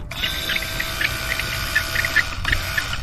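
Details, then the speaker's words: Hurricane-damaged Grady White 282 boat rebuild, testing the low-pressure fuel pump: even steady electric whir at one pitch, no stutter or rattle; works fine, unlike the high-pressure pump. "it seems to work fine"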